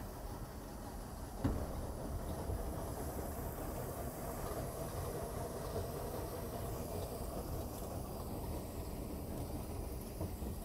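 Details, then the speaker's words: 1978 Skipjack 20 boat inboard engine idling in reverse gear: low, even rumble over water noise with no knocks or misses; running perfectly, normal idle. "That's what she's supposed to sound like. Running perfectly."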